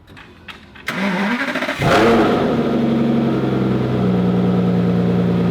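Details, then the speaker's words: 2009 Aston Martin DBS 6.0-litre V12 after DIY maintenance: the starter cranks briefly, the engine catches with a rev, then settles into a smooth idle on all 12 cylinders, without the vibration it had before. "all right car seems like it runs and it runs very smoothly runs on all 12 cylinders"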